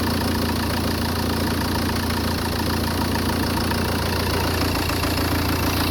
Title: Peugeot 406 2.0 hdi making strange noises & unstable idling